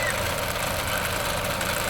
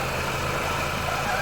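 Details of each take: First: 2010 Ford Fiesta Zetec Rocam petrol engine idling: fast, light rattle like timing chain noise, from the ball inside the PCV valve on the valve cover; replacing the valve stopped it. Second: 2010 Ford Fiesta Zetec Rocam petrol engine idling smoothly with no chain-like rattle once the noise from the faulty ball-type breather check valve on the valve cover stopped.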